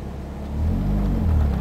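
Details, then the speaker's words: Ford ZX2 petrol engine at normal steady idle with defrost/AC off, a steady low rumble with no surge; the idle goes erratic when defrost is on, suspected bad AC compressor. "yeah here's normal idle route 1064. still normal here"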